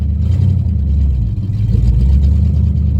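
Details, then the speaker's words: Mustang GT V8 with open headers, check engine light on, first run after rear 8.8 axle rebuild with new spool: loud, deep, uneven, lumpy rumble. Rough running. "oh oh that sounds rough does it move oh my God"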